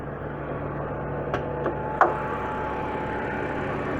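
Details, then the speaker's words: 2006 BMW 330i E90 N52 six at idle: quiet, even hum with no lifter tick at the moment; the usual ticking comes from the front of the engine. Normal idle. "so my engine sounds pretty normal right now but the ticking noise is going to come from like the front part of the engine"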